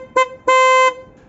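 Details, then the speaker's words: Nissan Qashqai J11 original horn, before the upgrade. A short and a longer toot on one flat mid-high note; it works but is a weak single-tone (monotone) horn being replaced. "it's not great and the reason for that purely is is because it is a i don't know if the correct name for it is a mono mono toy mono tone horn"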